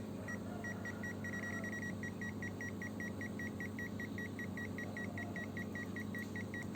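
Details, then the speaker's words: Zoyi ZT102A multimeter tracer with the yellow button held on a plugged-in, unbroken radio cable: quick, evenly spaced high beeps, about two to three per second, over a low hum; the dotted beeping means a live, unbroken wire. "Nah, kalau bunyi titik-titik seperti kabelnya tidak putus."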